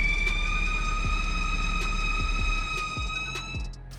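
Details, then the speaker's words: BMW N55 in an F15 X5 bought at 97,000 miles: a steady, piercing high squeal over the low idle throb when coming to a stop. It is attributed to a fractured valve-cover PCV valve venting crankcase pressure past the crank seals; the fix is a new valve cover. "so what happens is you get a tear in this and excess crank case pressure uh gets vented out the front crank seal and the rear main seal and you get like a high pitch squeal very common on the n55"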